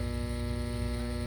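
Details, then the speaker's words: Furnace inducer fan motor giving a steady electrical hum and buzz but not spinning, with a three-flash code; possibly seized, needs replacing; inducer fan motor hums but does not spin. "now we know this induction fan is what should be turning it's not so we will have to replace this"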